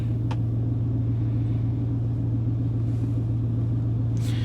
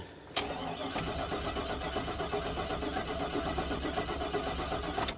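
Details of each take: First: 1999 Chevrolet 1500 with 5.3 V8, running after crank-no-start repair: deep, steady idle rumble with even beat, no stumbles or misses; normal idle. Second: 1999 Chevrolet 1500 5.3 with 248,000 miles, crank no-start after the customer replaced battery and starter, no fuel pump heard at key-on: starter spins at a normal, even pace for about five seconds but never fires; cranks but no start.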